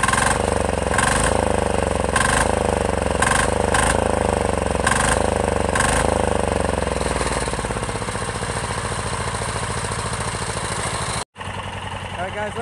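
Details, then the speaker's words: Chinese 10 hp Yanmar-clone single-cylinder diesel on its first start, freshly mounted to a frame, with a quick, even thump that picks up pace and holds steady; runs smoky but smooth and healthy, though it vibrates the rear fenders. "low smooth this is super smooth everything is working good"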